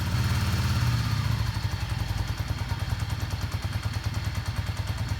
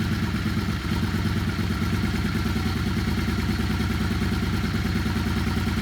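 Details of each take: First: Yamaha Star 650 V-twin after carburetor rebuild, idle on choke with little fresh gas: fast, slightly lumpy steady low thump, no knocks or misses; normal choke idle. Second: Yamaha Star 650 twin, fully warmed up and off choke after carb rebuild: lumpy, slightly irregular idle evens out into a steadier beat as the carb balance screw is turned during sync; uneven idle from unbalanced carburetors.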